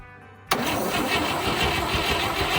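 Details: 1958 Chevy Apache, first start attempt after sitting for decades, in neutral with fuel poured into the carb: starter cranks and the engine catches in a quick ragged burst but doesn't keep running; an open oil line is leaking.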